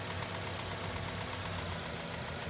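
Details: Four-cylinder engine at low uneven idle with a slight labouring lope as added resistance in one injector's connector underfuels that cylinder; rough idle from injector circuit resistance.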